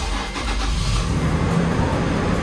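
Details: Totaled 2nd-gen Toyota Tacoma bought from Copart, first start: catches quickly, settles into an even strong rumble with no knocks, misfires or rattles; healthy start, no check-engine light.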